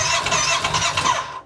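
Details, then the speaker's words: Kawasaki Teryx4 side-by-side bought non-running; ignition was loose and has been tightened, and no error codes show. Rhythmic cranking with firm compression pulses and brief attempts to catch, but it never fires. Cranks but won't start; fuel or spark still to check. "I can hear that it's got compression, it's trying to kick. So now we just got to figure out if it's gas or spark."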